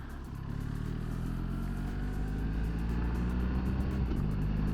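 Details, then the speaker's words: BMW R1300 GS with Gilles CNC alloy gear lever fitted to fix quickshifter faults, riding into a roundabout: low boxer drone smoothly through a quickshift at low revs between second and third, no jolting or bucking; clean shift. "So that was second to third round the roundabout at low revs, no jolting, no bucking, absolutely fantastic."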